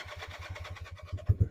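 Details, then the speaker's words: Honda CB175 twin, cold (~45°F) start on choke after months sitting, sticky throttle, tach bouncing: uneven low putts about ten a second then harder irregular bursts as it catches; rough cold start. "Doesn't really like the choke. My tack cable was bouncing all over the place."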